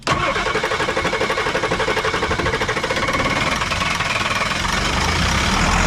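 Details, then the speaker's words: Diesel truck that ran out of fuel, both batteries dead: starter churns about four beats a second with no catch; cranks but won't start, fuel-starved with air seen coming from the fuel line. "and she was running fine until you ran out of fuel this little white tube okay is the uh fuel ball exit ports okay go ahead and hit it yeah I see a lot of air coming out while that pump's on"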